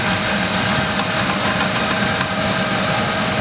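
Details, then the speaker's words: GMC Jimmy 4.3 V6 (Vortec), cold idle just after start, days after drive-belt replacement; rough idle with periodic quick rapping tick from engine bay, source unlocated; owner suspects hydraulic lifters despite fresh oil; unconfirmed. "Может такое быть, что это стучат гидрокомпенсаторы вот таким образом на холодном двигателе."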